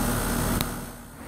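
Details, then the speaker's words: HVAC unit from 1993 after Copeland scroll compressor replacement and finished refrigerant charge. Steady even hum of compressor and fan, no knocking, rattling or squeal; everything running really well. Normal running. "guys we done charging up you can see the numbers there everything's running really well"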